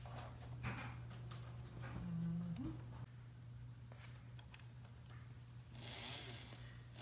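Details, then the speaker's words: Restored circa-1945 Märklin SK 800 motor after regluing a wheel to its gear and oiling; steady low hum with the earlier clicking gone, running smoothly though the wheels may still be slightly tight. "as you can hear our clicking is completely gone that is a great smooth running motor"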